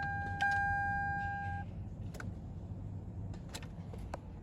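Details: 2005 Toyota Sienna, key turned in park: a steady chime, then only scattered faint clicks and no cranking. The park/neutral safety switch is judged fine; fuses, starter or a low battery are suspected. No-start, cause unknown.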